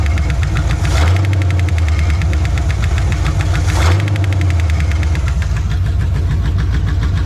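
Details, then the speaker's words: 1973 Chevy Nova V8, which sounded fine before transport: rough-running engine with a rapid, regular knock pounding through at idle; engine knock, engine needs replacing. "that sounds an awful lot like a knock to me now I know this engine sounded better than that in Tennessee I don't remember any engine noises at all that sure sounds like it's pounding"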